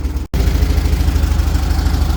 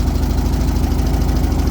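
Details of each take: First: 1978 VW Super Beetle air-cooled engine, Bosch L-Jet injection, after warm-up: even low putter of about three pulses a second, no misses; idling fine so no adjustments made. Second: 1978 VW Super Beetle, Bosch L-Jet fuel injection, just restarted after work, generator belt off: loud low chugging rough idle with uneven beat and pops, mist of raw fuel blowing out; cracked boot hose suspected air leak.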